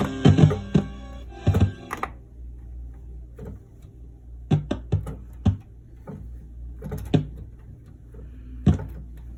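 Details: 1979 Roland RS-09 string synth, still faulty after all output-board capacitors were replaced: a held chord cuts out, then irregular pops and thumps. Intermittent crackling output; owner suspects the HA1457W chip or drop damage.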